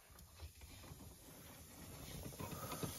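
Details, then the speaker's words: Freightliner cab with the dash panel being removed; a faint, steady high hiss that is a slight air leak in the dash, suspected at a gauge's push-in air hose fitting. "i can hear a very slight air leak in the dash and i have a suspicion that it's where the hose goes into one of these gauges"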